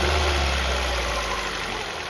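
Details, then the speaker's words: Ford New Fiesta 1.6 Sigma: as revs fall back toward idle after throttle release, a dull rattling knock appears. This is piston skirt slap from excessive clearance, bottom-end noise that is typical in the cold phase. "aqui ouviu G Isso significa que é a parte de baixo pistão sobe comprimindo na descida na desaceleração ele desce vibrando tremendo"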